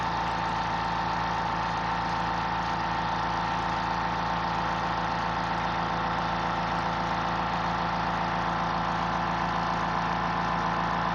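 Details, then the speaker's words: Fortress 2-gallon ultra quiet oil-free air compressor filling its tank in 45 seconds. A steady, even low drone with no knocks or rattles; very quiet, running normally. "It took 45 seconds, and you could hear it was very quiet. This is a compressor you could run 10 o'clock at night and not wake up the neighbor's kids with the garage door open."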